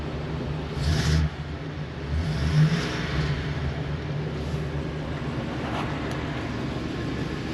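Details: Ford 7.3L V8 "Godzilla" in a 2023 Thor Quantum KW29 E-450 motorhome, after removing a stray bracket resting on the under-floor heat shield; loud at start, then low even idle with no metallic rattle: normal idle after the fix.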